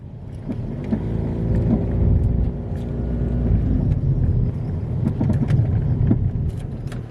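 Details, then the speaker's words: Driving over bumps; irregular sharp clunks through low road rumble from a bad control arm, excess play in bushings or ball joint. "so to kick things off the first symptom is noise over bumps you'll hear a clunky noise like"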